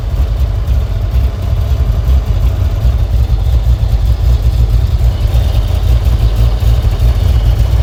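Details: Vintage car's engine after a cold start, choke pulled: steady low idle, even and unbroken with no misses or ticking; normal idle.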